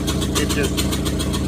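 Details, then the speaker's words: 2001 Honda Civic LX, D17A1 engine, exhaust manifold broken off so sound comes straight from the ports, warming up. The idle is calming but still has a choppy, uneven puffing. No vacuum leaks were found; the TDC sensor had failed earlier and was replaced. The owner suspects timing, unconfirmed. "this is a straight block g17a1 with the manifold broken off of it so it sounds like it's warming up and calming down but I still have that chopping sound"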